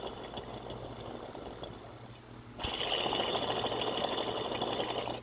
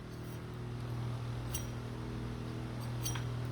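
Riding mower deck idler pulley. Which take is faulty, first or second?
first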